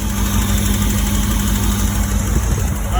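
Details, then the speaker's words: 1985 Porsche 928S V8 after replacing the fuel injectors during an intake refresh, running with the air cleaner off. It starts right up and settles to a smooth, even idle with no stumbles. "right, good news is it's running starts right up. Sounds great."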